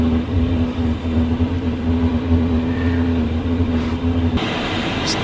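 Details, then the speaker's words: Chinese diesel heater newly installed in a 2015 Freightliner Sprinter van, running after the fuel line was purged and a rubbing fan was freed: steady low hum with a smooth fan tone, no sputter or surging; it is blowing warm, normal running. "nice and warm just going to let it run for a bit looks like it's working"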